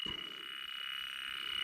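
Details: Two-stage Trane XL18 system with low-superheat fault: rapid steady high-pitched beeping as the electronic detector finds a strong refrigerant leak at oily, dark aluminum brazed fittings on the coil.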